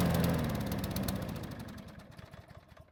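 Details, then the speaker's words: Troy-Bilt mower that was hard to start and ran only after being primed by hand with fuel: the engine fires at an uneven, slowing beat and fades to silence after about 3 minutes; stalls, likely from fuel starvation. "so as you just saw it started and ran but only after physically priming in however this mower is not going to make this easy because after about 3 minutes of running it stopped all on its own"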